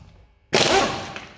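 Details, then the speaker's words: US Pro 800 Nm air impact gun on speed 2, run from a new Draper 150L belt-driven 2.2kW 10 bar compressor: a sharp one-second rattling burst as the nut breaks free easily, no stalling, working properly. "Yeah, as you can see, nice and easy. That's perfect."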